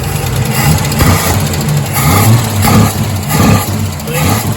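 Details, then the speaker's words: Holden Torana engine with rebuilt manifold and trumpets, vacuum advance not connected and timing adjusted by ear: revs blip with soft pickup and slight stumble; owner suspects it runs lean and may need accelerator pump adjustment and bigger jets. "is a bit lean. I need to maybe check the adjustment on the accelerator pump as well."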